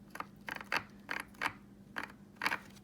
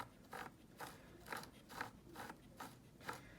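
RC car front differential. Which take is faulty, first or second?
first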